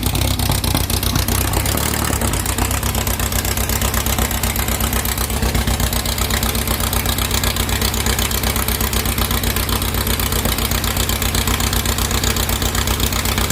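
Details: 2332cc "Dust Buggy" bug after carb cleaning and mixture-screw adjustment, which cured earlier rough running and missing. Steady, even low thrum with a regular beat around four per second and no misses: a healthy warm idle, normal.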